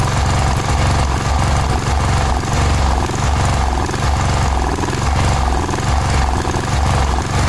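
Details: Cub Cadet 1106 riding lawn tractor (1987; listed as 1986), sat over 4 years, bottom carburetor adjustment screw ineffective: single-cylinder engine chugging unevenly with a lumpy, surging low beat. Rough running; old fuel drawn through fuel line suspected, not confirmed.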